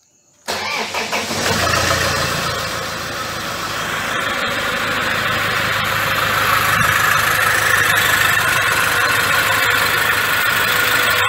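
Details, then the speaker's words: 2006 Toyota Hilux, 1KD-FTV diesel fully rebuilt after seizing, engine back from machine shop, first start: short crank, fires right up into smooth even diesel idle clatter, no knocks; healthy. "tá motor reparado vou ligar ele provou ele pra vocês ver o funcionamento do bichão"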